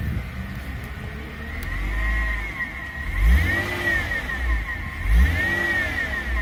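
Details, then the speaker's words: Mercedes-Benz C-Class W204: revving the engine, belt drive stays quiet with no whizzing rising with revs, showing normal idler, tensioner and water pump/alternator pulleys; worn pulleys would whizz. "normal dia memang tak adalah patutnya macam tu."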